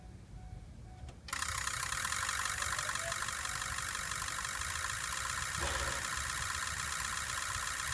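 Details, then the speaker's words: 2003 Ford 6.0 Powerstroke diesel with injector stiction, about a month after Rev-X treatment: quiet, then immediate catch into steady crisp clatter settling evenly; injector pre-clatter, cold morning starts much improved. "he uh took the truck he's been driving it said it's got a whole lot better on the cold morning startups"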